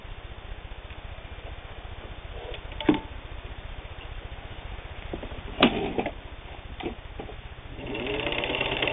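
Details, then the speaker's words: WWII-era Singer 15-91 all-steel sewing machine, internal can motor and worm gear drive, sewing light sheeting; quiet even motor whir with soft rapid needle patter, no knocks or grinding; smooth-running. "This time we have a Singer 1591, which is a can type internal motor and worm gear drive. Very powerful machine."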